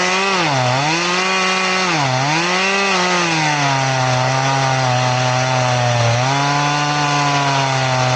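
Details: Chain filed to 10 degrees, crosscutting wood: the engine holds a loaded drone that dips and recovers through the cut. It runs smooth, without full-chisel pull, but very slowly, so it works but is not recommended.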